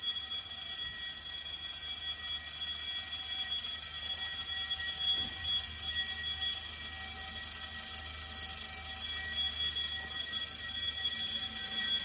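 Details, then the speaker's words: Home-built Fire-Lite MS-9200UD fire alarm system after a bedroom pull station is pulled: continuous high metallic bell ringing with no pauses, in continuous coding, with relay clicking from the Simplex SmartSync module. Fire alarm bells in general alarm. "Now, hearing the bells in continuous is cool and all, but I'm gonna actually change the coding option to code 3 once I reset the pull station."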